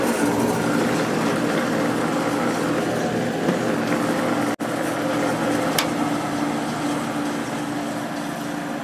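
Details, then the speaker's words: Whirlpool Accudry 40-pint dehumidifier, late-1990s or early-2000s, reciprocating compressor, on high fan at about 6.5 amps: steady low compressor drone with airflow hiss, no knocks, described as very smooth; condenser clean; normal compressor running. "this one has a real nice sounding compressor in it little noisy at first but it quiet it down"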